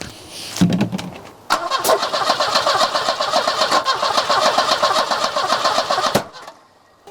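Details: Volvo 245 being revived: steady starter churn about four turns a second for nearly five seconds, never firing; crank no start, owner hears no fuel pump and suspects no fuel delivery.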